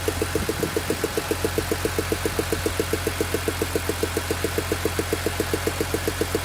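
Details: BMW E46 M3 with S54B32 engine, warm after a cold start: sharp, very even ticking about four per second over a steady idle; unexplained ticking noise at idle.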